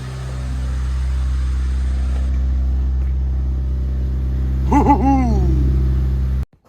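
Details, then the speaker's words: Budget Honda Civic EG build just after first start, intake not yet fitted, coolant not yet filled: steady low idle with a deep, smooth exhaust note and clean rev blips that drop back evenly; running healthy. "but man this exhaust sounds so good"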